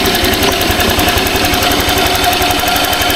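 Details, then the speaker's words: Honda Click 125i single-cylinder scooter at idle after a DIY tune-up with the gap reset: a quick, even, smooth putter with no tick or miss. The previous ticking is gone and the engine runs normally. "Ang ganda ng kanyang tunog, smooth na smooth. Goods na yan guys."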